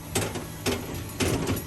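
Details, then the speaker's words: 2014 Crossroads Elevation fifth-wheel toy hauler, electric landing-gear leg running down: motor drones under heavy irregular clunks about every half second as the leg jumps and winds unevenly; gearbox gear found with teeth stripped off. "you'll see when i start running this down you can hear the clunking noise on that side and that's where i think the problem is see how that leg is jumping a little bit"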